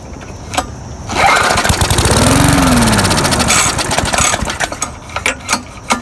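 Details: Murray mower that ran fine four days earlier now won't start; with carb cleaner and fresh gas fed into the carburetor, it catches after a pull, runs roughly about three seconds, then sputters and dies; owner suspects water in the fuel tank.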